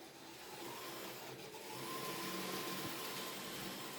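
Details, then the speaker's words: Second-hand Kato N gauge CSX locomotive on the track, running with a thin, steady squeal rising over a soft running hiss; the motor squeals and sounds dry, needing lubrication, and runs unhappily, nearly stalling. "Can you guys hear that? He is squealing. Sounds like he's got a dry motor."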